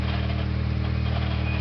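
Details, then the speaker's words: Mitsubishi Eclipse 2G 420A engine after serpentine belt replacement and proper tensioner pulley tightening: steady even idle with no chirp or squeal; belt noise gone, normal idle. "So that noise is not quite there."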